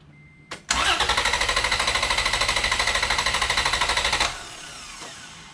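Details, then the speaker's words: 2011 Toyota Tacoma with main battery disconnected, cranked on a Lokithor J400 2000A jump pack with EFI relay pulled: fast, even cranking about three seconds per attempt, never catching; strong crank, no start by design. "I'm gonna go crank it. It will not start. I have the EFI relay pulled out of the system, so it's just gonna crank, but it won't run."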